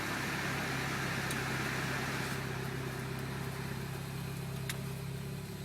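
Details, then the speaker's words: 2007 Mini Cooper S R56, JCW Stage 1 kit, just over 60,000 miles, after a cold-start stumble: even idle just under 1,000 rpm after AC is turned off, ignition advanced a bit, no stumble; owner suspects the high-pressure fuel pump. "Turn the AC off, let it, yeah, so right under 1,000 RPM. Ignition's, advanced a bit there."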